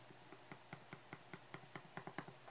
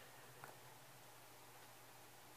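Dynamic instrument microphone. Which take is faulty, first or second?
first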